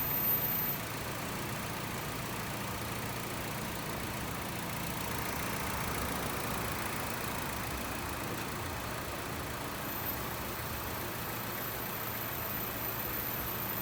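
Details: 2017 Honda WR-V at idle with AC engaged, charge stabilizing; steady even hum, no knocking, rattle or grinding, compressor runs normally.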